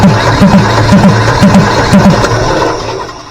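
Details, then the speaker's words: Deutz 1011 two-cylinder diesel powering an air compressor, ran terribly; listening at intake manifold while cranking: about two compression strokes a second, each with a sharp rushing puff, suggesting compression leaking back past a valve; suspected. "what I want you to do is I want you to listen to this intake manifold right here when I crank on the engine and it'll tell you what's going going on listen to it real close"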